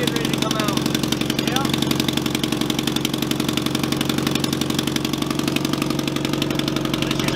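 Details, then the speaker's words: Truck with headers and newly welded exhaust at first startup: sharp, even puffing tick about four per second over the idle; exhaust leak because manifold bolts backed out of the head at the far rear cylinder. "the head or the exhaust manifold bolts have backed out of the head for the far back cylinder so it there's no back pressure there"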